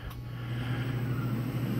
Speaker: motor now spins up this is unloaded state not compressing air 30 or 30 Hertz